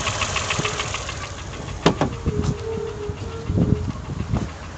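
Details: Toyota 1KR-FE engine knock at idle despite new timing chain, tensioner and guide; sharp internal knocks at irregular intervals over the running sound, cause unknown.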